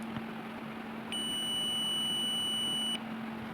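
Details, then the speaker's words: Multimeter in continuity mode probing a jumper wire: quiet room then steady high-pitched beep for about two seconds, showing the wire is intact. "तो hope कि आपको beep का sound सुनाई दिया होगा जब मैंने इसको पास में लेके रखा था, ठीक है। तो ऐसे इसका कंटिन्यूटी मेजर करते हैं।"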